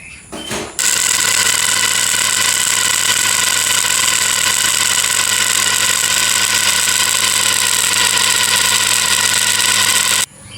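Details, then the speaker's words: Household water pump switching on: a loud, harsh steady hum and hiss with a rattling edge. The motor's cooling fan blade is loose on its shaft and needs replacing. "ถ้าเจอปัญหาในเสียงปั๊มน้ำดังอย่างนี้ก็สันนิษฐานได้เลยนะครับว่าเกิดจากพัดลมแกนพัดลมใบพัดหลวมนะครับ"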